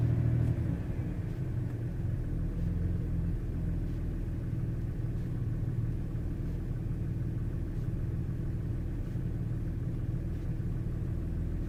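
A low, steady idle rumble with faint, regularly spaced ticks and a slightly uneven beat, pointing to a misfire of unknown cause.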